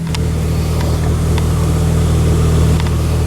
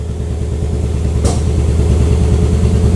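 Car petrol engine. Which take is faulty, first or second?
second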